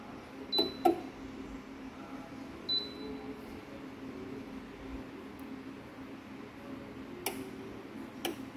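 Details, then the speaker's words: Suoer MPPT 60A solar charge controller in the evening; sharp, irregular clicks every second or two as the loud heavy contactor cuts in and out over a quiet room; relay clicking on and off. "you guys pick it up the contactors is quite loud"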